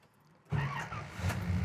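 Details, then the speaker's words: 1971 Chevy Nova, built 350ci V8, headers and dual exhaust, 4-speed manual: brief quiet, then catches instantly into a strong, even V8 rumble without stumbling; healthy start. "Fires right up. Down here you got your temp gauge and oil pressure gauge."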